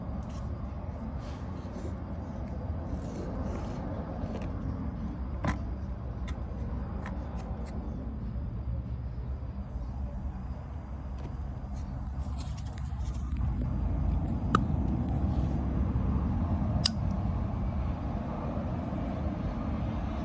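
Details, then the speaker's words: Vissani HVBC31ST beverage cooler not cooling, just plugged in: a few sharp clicks over a low rumble as the compressor tries but never starts. Power is reaching the compressor; the start device or compressor is suspected. "this is either a start device or a bad compressor that clicking tells you you're getting power of some sort going to the compressor"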